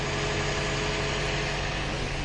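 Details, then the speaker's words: Toyota Echo after a valve cover gasket and ignition coil change; the earlier misfire was blamed on a cracked coil. Now a smooth even idle with no stumble and no check engine light. "okay fire it up no problem no check engine light or anything like that I think we're good to go easy peasy"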